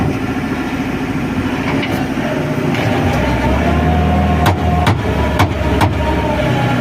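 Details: XCMG mini loader diesel: steady deep drone with only a few sharp clicks, no rhythmic chain slap; drive chain sounds healthy.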